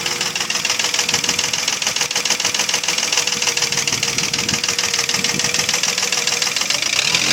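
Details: Mercedes ML320, M112 3.2 engine at about 300,000 km: sharp metallic knock at idle, about three per second; piston slap from scored cylinders, pistons rattling in liners; replacing bearings, tensioner, rollers, camshafts, chain and lifters did not cure it.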